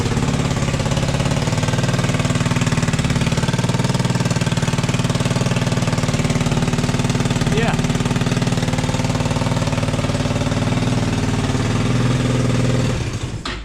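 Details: Freshly built 300cc scooter engine in a Chinese SxS, first start in neutral with oil but no coolant yet and the airbox off: a loud, steady putter at about four beats a second with no knocks or rattles, idling evenly until shut off.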